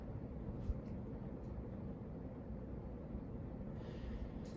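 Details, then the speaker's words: 1986 Hunter Original 52-inch ceiling fan on high, after oiling (previously starved of oil and hard to turn): quiet, steady low hum with no ticking, rubbing or wobble; spins freely, runs much smoother than before. "it does run a lot smoother than it did previously I we'll tell you that because when I got this thing it was kind of starred of oil so it was very hard to turn but now it's pretty easy"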